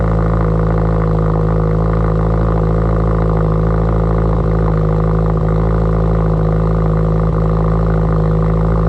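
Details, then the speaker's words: Subaru Forester XT cold start; steady, loud, deep idle through a free-flowing exhaust, even with no knocks, quieting after startup enrichment; normal cold-start idle. "Alright, let's go ahead and get Gump into the garage, but first I'll give you a little cold start of what this currently sounds like."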